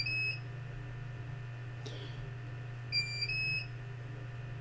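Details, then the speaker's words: Bench UPS after mains power dropped out: short high-pitched beeps a few seconds apart over a low hum, warning that it is running on battery; UPS alarm. "how's my UPS going it wasn't particularly happy but it's okay"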